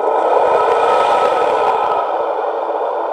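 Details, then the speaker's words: Shop exhaust fan blower motor for an outboard test tank, previously stuck and just freed up: a steady high whirring hum with a rough, gravelly rasp at even pitch; a lot of bearing noise from worn motor bearings. "that's a lot of bearing noise going on right there a whole lot"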